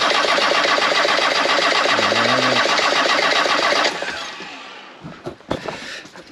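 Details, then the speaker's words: Land Rover 6x6 diesel after Bosch VE injection pump swap to a 300 TDI pump, fuel at injectors: even starter cranking about four turns a second, never catches; owner concludes timing belt may have skipped a tooth; crank no start. "Engine wouldn't start. Checked every hen, rechecked every hen. Came to the conclusion that the timing belt may have skipped a tooth the first time I had it off."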